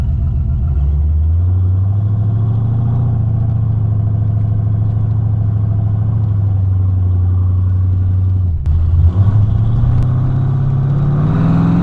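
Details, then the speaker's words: Oldsmobile Ninety-Eight idling to charge the battery after an oil pan repair; steady low idle with a slightly uneven pulse and an occasional sharp exhaust pop, the tune is off. "i can hear it popping a little bit too the tune is definitely off"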